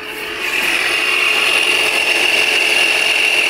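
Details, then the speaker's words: 2005 Polaris Sportsman 500 4x4 ATV with 5,184 miles, running and smoking heavily: a steady high whooshing whir builds and then holds even; the radiator cooling fan has kicked on and runs normally. "the Fan's kicking on you can hear the"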